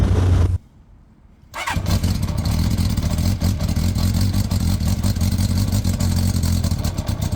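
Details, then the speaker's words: Motorcycle: after a short pause it fires into a loud, raspy, uneven putter with a sharp chuff; the muffler is holed and blows out inside behind the footrest. "Meg ezzel az a baj, hogy nem csak, hogy csúnya, hanem, hanem lukas. Tehát itt belül itt a lábtartó mögött itt kifúj, lehet hallani"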